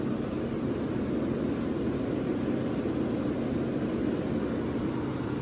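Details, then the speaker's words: Vintage Westinghouse 10,000 BTU A/C, R22 20 oz, owner guesses about 1975; on high cool, mic at the back near the compressor and condenser: even, steady airy hum, no knocks, rattles or surges after compressor start; quiet, normal running. "it gets pretty quiet once it's uh running here"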